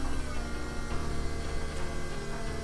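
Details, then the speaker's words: Rally Camaro LS with newly installed Aces Jackpot standalone ECU, key-on: steady even electric whir holding one pitch nearly three seconds then cutting off; normal fuel pump prime, runs longer than with the previous computer. "This one runs that pump a lot longer, too."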